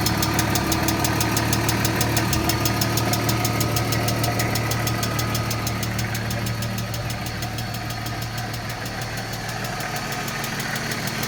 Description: 1995 BMW E36 M3 lifters making loud ticking noise